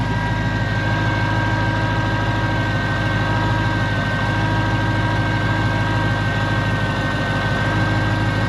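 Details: 2012 Ford Mustang GT 5.0L showing a Check Charging System warning; belt, idle pulley and tensioner checked, signs point to a failing alternator. A steady idle carries a faint constant high whine over the engine hum; alternator suspected, not confirmed.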